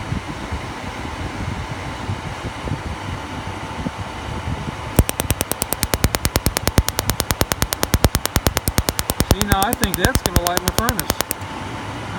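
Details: Atwood 8525 furnace igniter after adjusting the electrode-to-ground gap closer: sharp, evenly spaced spark ticks, about two to three a second, over a fan hum; the adjustment shortens how long it sparks during startup.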